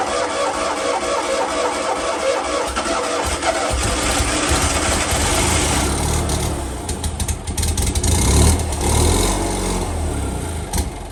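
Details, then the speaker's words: 126 petrol car, off the road over 10 years: starter churns, then it catches on petrol poured down the carb and runs unevenly briefly before dying. It isn't pulling fuel from the tank; owner plans fresh fuel, new fuel lines and filter. "okay so there was a success the engine ran albeit not for long we did run out of fuel in the end"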